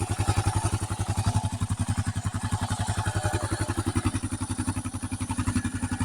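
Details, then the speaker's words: 2008 Kawasaki KLR 650, 19k miles, after oil change, idle set lower, warming up: slow even thumping with dry metallic top-end clatter; owner suspects loose top end, balancer already adjusted, unconfirmed. "And that's kind of the warm-up area, but you can hear it. At least from my perspective. They're kind of loose in the top end."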